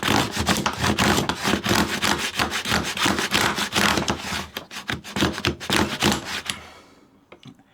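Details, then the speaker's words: Hand router plane cutting a stopped dado: rough rasping strokes with buzzing, stuttering chatter; the blade was set too deep. "Now you could hear how that was vibrating. That means that I had the blade a little too deep."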